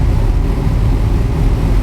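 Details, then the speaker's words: Superformance GT40 with Roush 427SR V8, started in neutral right after an oil change while still about a quart low; deep heavy even rumble with no misses, strong exhaust airflow; normal idle. "The funny thing about the exhaust from this thing is I can still feel it pushing air all the way out here. Like, it just shoots the air out so hard."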